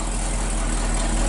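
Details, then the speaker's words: 1959 Chevy Viking 60 race car hauler with a 396 big-block V8, first start of the day. It gives a deep, even burble with no knocks or misses, and the oil pressure is good. "Wow. Sounds pretty good, Joel."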